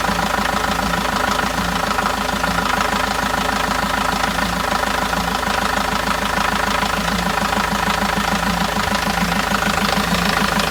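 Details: 2002 Renault Master 2.2/2.5 G9T diesel after new Gates belt, tensioner and pulley: steady idle with even clatter about three beats a second, no belt squeal or chirp; belt drive sounds healthy.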